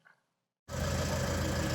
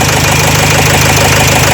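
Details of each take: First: Renault Trafic 2 / Opel Vivaro, M9R780 2.0 diesel, after replacing shorted cylinder 2 piezo injector and re-priming the pump: after brief silence, steady smooth even idle with no vibration or misfire, exhaust sound back to normal. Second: Renault Trafic 2 / Opel Vivaro, M9R780 2.0 diesel, before repair: lumpy uneven idle with knocking beat and vibration, one cylinder dropping out; cylinder 2 piezo injector short-circuit and misfire codes, injector resistance 0.31 ohm, fuel correction 5.02 on cylinder 2.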